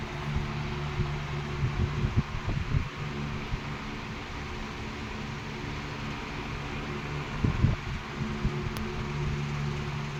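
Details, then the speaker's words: 16-inch R&M Banner two-speed oscillating fan on high speed, drawing 1.2 A, oscillating: a steady, even motor hum and soft airy rush. The gearbox quiets to a faint murmur under load. Normal running. "And here's the oscillation. You hear the gearbox kind of quiets down. Uh, it's because it's got a a load on it. Quiets down a little bit."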